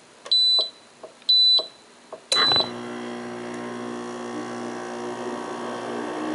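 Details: New Kenmore 5,200 BTU window air conditioner, model 253.70051, 115-120V 475W, R410A, made January 2012, with the camera placed near it during a quick startup: three short control beeps, then a thump as it kicks on and settles into a steady, even hum and airflow.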